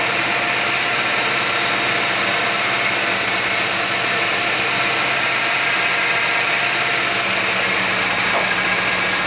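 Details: Warm 1991 GMC Jimmy at 55°F ambient idles noticeably fast and even, with no dips or hunting under heavy hiss. A flammable-spray test ruled out vacuum leaks. Owner suspects an air-fuel or other sensor. Cause not yet found.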